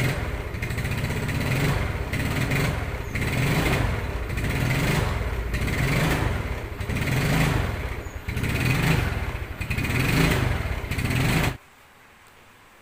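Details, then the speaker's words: Yamaha Mio Sporty scooter, carburetor fouled by water entering through a leaking air filter (earlier diagnosed elsewhere as needing a new carburetor vacuum diaphragm); engine surges and stumbles, blubbering "blebek blebek" when revved instead of revving cleanly: water-contaminated carburetor misfire. "Tadi suaranya seperti itu Hai suaranya blebek blebek blebek bedigas kosong"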